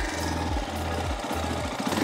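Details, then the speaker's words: CSC TT250 Enduro 2022 carbureted single-cylinder motorcycle warm at operating temperature, idle raised via the carburetor idle screw to three tachometer bars; revved then settling back to a steady, even low-thump idle with no knocks or misses. "give it a little rev and see where it settles back down drops back down around there around this area is where you want to have that idle"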